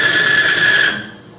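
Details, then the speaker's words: Lubricity test rig with an electric motor spinning a race bearing against a metal bearing, lubricated by diesel fuel alone at about 50 lb load: a piercing squeal for about a second as the surfaces overheat, weld together and seize. "about 50 lb of weight and it got so hot between the two metal surfaces they actually welded together and I had to break them apart"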